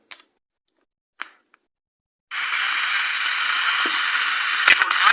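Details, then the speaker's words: 3-band FM/AM/SW radio with USB/SD after its damaged on/off power switch was replaced: a few sharp switch clicks, then the set powers up with a steady, hissy broadcast sound, working normally. "இப்போ பார்த்தீங்கன்னா நண்பர்களே சுவிட்ச் வந்து மாற்றி சரி பண்ணியிருக்கிறோம்."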